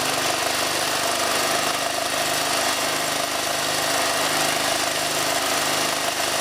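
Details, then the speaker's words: Ford Falcon AC compressor, removed, dry and overheated, shedding Teflon, run after an 80W-90 oil shot: harsh rattling hammer over a buzzing drive; sounds different, then officially seized, shaft splines chewed off the swash plate. "oh all right all right it sounds a bit different oh i think it's officially seized"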